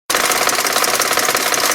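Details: 1999 BMW 540i 4.4L V8 at idle with oil pumping visibly under the open oil cap. A rapid, even ticking knock comes from the passenger side of the engine; its exact source is not yet found.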